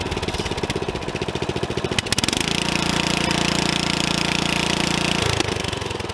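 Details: Old Murray riding mower, small single-cylinder engine, running and given throttle during a used-purchase inspection: steady chug, revs up for three seconds then settles back, with a light ticking over the exhaust. Valve rattle.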